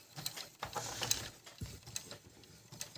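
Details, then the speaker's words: Brother ML-750 sewing machine during adjustment after service, zigzag stitching: light, uneven clicks and soft ticks about once a second as the needle swings; normal stepper motor noise, machine runs very quietly. "шаговий двигун ну пере ну цей Він рамку голка водія води ну така в нього робота ну куди вже тихіше машинка дуже тихо працює"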